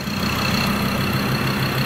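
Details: Ford Ranger engine first start with new oil: catches and settles into a steady, even idle with smooth low beat, no knocks or misses; healthy idle.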